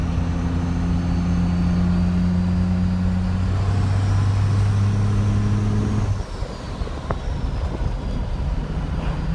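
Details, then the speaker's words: First-gen 12v Cummins while driving, with a built HX35 turbo slightly bigger than an HX40 and a pusher intake. Deep diesel drone under load with a faint high whistle rising and falling with throttle; turbo spooling normally. "turbo sounds sick in person I don't know how good you guys gonna be able to hear it"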